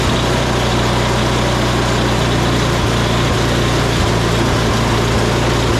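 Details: Salvaged "big red" snow blower started on recoil with choke on and primed, oil looking new, spark plug heat range 2: loud, steady small-engine drone holding even with no stumbles or surging; normal running.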